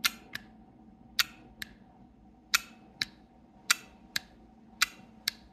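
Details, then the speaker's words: Third VVT solenoid removed from a vehicle, bench-tested with a power probe: crisp paired clicks about once a second as the valve snaps in and releases; works electronically and mechanically, misdiagnosed. "This is clearly working. All right, so as you can see, all these valves are electronically and mechanically working."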